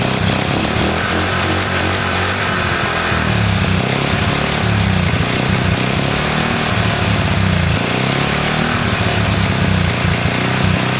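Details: Honda CL70 single, jets already raised 73 to 75 and 38 to 40: ragged, hunting idle that never settles into an even beat. The idle screw is far in and the idle resets after throttle; mixture problem suspected, not confirmed.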